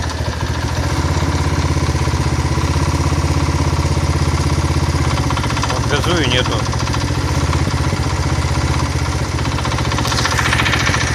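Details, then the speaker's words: Single-cylinder engine driving a generator knocks steadily at unloaded idle, about four a second, after the cover was refitted and the bearings reseated. The knock disappears with slight load, throttle or the generator lights on. Owner suspects worn crankshaft bearings from the previously offset cover. "появился стук двигателя на холостом ходу чуть нагрузку даешь и либо газу либо я просто свет включаю на генераторе и звук пропадает"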